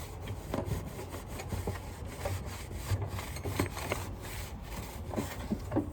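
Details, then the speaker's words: Sanitaire vacuum motor, possibly Chinese-made, turned by hand: dry, scratchy rasp with uneven gritty pulses; dry, rough bearing, loud when spun fast; fix is freeing it up and oiling with 3-in-1 oil. "you guys can hear how bad that is but here's a solution three and one oil looks very good on these you spin them way too fast they get really loud"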